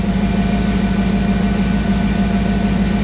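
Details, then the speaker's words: Jeep TJ on newly installed ACES Jackpot EFI replacing MicroSquirt, cold garage: even, steady low idle with regular pulse, no misses, pings or stumbles; smoother and more responsive than before, when it shook and pinged. "now it's really smooth so I think it'll be better"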